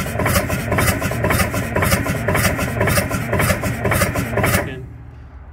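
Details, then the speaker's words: Pettibone log skidder with two-stroke Detroit Diesel, sat about 20 years, first start attempt: starter churns steadily, laboured, several seconds without catching; no-start, suspected gunk on valves, may need ether. "because it's got crap on the valves here going hoof yeah let it set a little bit we might have to give this one a little ether to get its attention"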